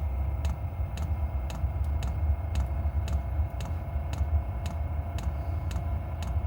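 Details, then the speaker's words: Voyoch diesel heater in a camper trailer, just switched on from the control panel: crisp, even fuel pump ticks about twice a second feeding the burn chamber over a steady low burner roar after ignition; normal running. "You can hear the fuel pump starting to run, pumping some fuel into the cylinder or into the burn chamber. And there's ignition."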